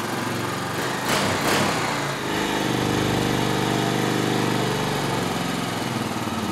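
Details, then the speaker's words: 2003 Honda Rancher 350 2WD manual, after a carburetor clean and jet rebuild: fires and settles into a fast, steady idle well above normal. The idle screw had been raised to bypass a clogged slow jet. "Alright you'll notice when I first started it up it was idled way high. You want to know why that was? Evidently this thing's had a problem with that slow jet being stopped up, and how they compensated for it is they brought the idle up to where it more or less bypassed the low circuit"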